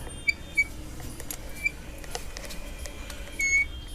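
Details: Royal Enfield Classic 350 Reborn rear disc brake, bike moved back and forth, mic held low; four rear pad sets changed in 8 months: quiet surroundings with short sharp high-pitched chirps; brake squeal returned.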